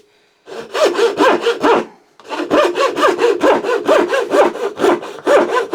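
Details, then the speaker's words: Freshly sharpened thin turning saw blade doing curve cuts in wood: even back-and-forth rasp about two strokes a second, each stroke biting cleanly without chatter. Sharp saw cutting normally. "That did a pretty good job at that."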